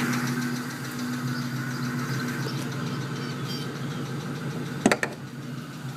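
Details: 2001 Mustang GT V8 at warm idle: fast light tick only when warmed up, loudest underneath by the manifold, owner suspects driver side head; source not pinned down.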